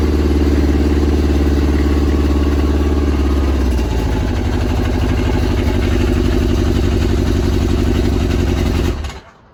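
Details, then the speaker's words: Yamaha RX1 1000cc four-stroke snowmobile engine, sat 6 years, warming up after ultrasonic carb clean and new fuel bungs, coolant just added: steady idle with brief rev blip, even firing, no knocking or rattling; normal warm-up running. "okay i better get some coolant in here before i get too carried away here okay that's more like it try that again we'll let it warm up so"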